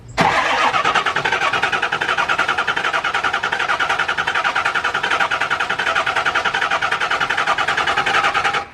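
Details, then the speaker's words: Diesel truck after an injector rebuild, purging the fuel system in on/off cranking intervals: steady even starter cranking with rhythmic compression pulses for about eight seconds, but the engine never catches. "I'm just purging it right now, letting it turn on and off. I'm gonna grab some starter fluid."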